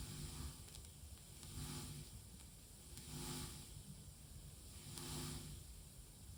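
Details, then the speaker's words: Defective Tascam LM-8ST mixer, left channel of ST1/ST2 outputs via XLR to a monitor: hissy sizzling that swells and fades about every two seconds, with sharp crackles and pops as the volume control is turned. "You can hear the cracking, popping noise as well."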